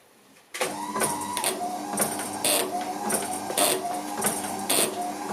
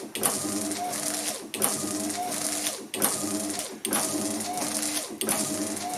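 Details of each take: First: Gilbern classic car with retrofitted Ford Focus Mk2 wiper motor, relay wired to the park switch green wire: motor hum with relay clicking about once a second and brief pauses; relay tries to switch off but wiper won't park, park earth interrupts only ~200 ms. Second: Ford Focus Mk2 wiper motor and linkage retrofitted to a classic Gilbern, run on a battery charger at higher-than-normal voltage: steady motor whir, quick even sweep about every 1.5 seconds; wiper now parks correctly after added loading.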